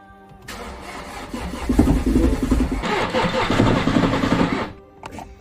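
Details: Mini John Cooper Works bought as auction non-runner, new starter fitted, plugs in: starter churns about four seconds with rhythmic chugging but engine never catches; crank-no-start.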